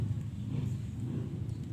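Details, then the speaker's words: LG jumbo two-door inverter refrigerator PCB on the bench, with its sensors replaced by 1K resistors, door switch closed and the original compressor connected: quiet, steady low hum with no knocks or rattles; compressor running normally. "Di sini saya menggunakan kompresor, masih kompresor biasa yang sama . Mari kita uji segera. Kita bisa melihat bersama bahwa ini sudah normal sekarang."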